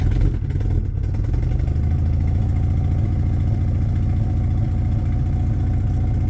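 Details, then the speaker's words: Honda Prelude run after sitting four years: loud, deep puffing idle, louder than it should be, exhaust leaking at the header-to-manifold joint. "yeah it's still really loud but it's running"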